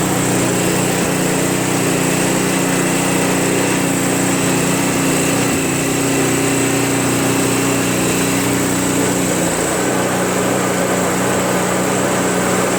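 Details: Craftsman Trac Plus 23" dual-stage snowblower, 5HP Tecumseh engine, cold first start after a year stored without stabilizer (tank was empty, fresh gas added, full choke): steady even buzz at constant speed, no misses or knocks; idles well.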